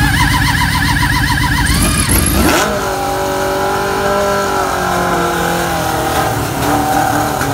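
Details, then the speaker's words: Suzuki GSX600F with a cold-start problem: after spray flooded the spark plugs and they were cleaned and refitted, starter spins about two seconds, engine catches, revs briefly and settles to a rough idle; it starts. "And I did try to spray it, but it seems definitely to overflow the plugs. So I'm just gonna clean them and put back in the bike and let's see what's gonna be."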